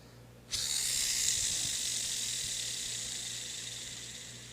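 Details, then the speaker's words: Abu Garcia baitcasting reel fitted with a Hawgtech ceramic bearing in a free-spool noise test, sudden loud high hiss fading over about four seconds; noticeably noisier than the stock and Boca bearings. "the uh hul Tech bearing got a lot more noise on it"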